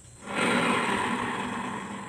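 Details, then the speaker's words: Honda Beat carburetor scooter, about 2010–2012, complaint of noisy CVT area: rear wheel spun by hand at the final drive housing gives a rough, gritty grinding that slowly fades; worn final gear bearing pair needing replacement. "kasar ya kalau kita buka halus ya nah jadi permasalahan itu ada di sini guys ada bearing pasangannya itu yang sudah kalah sudah aus guys"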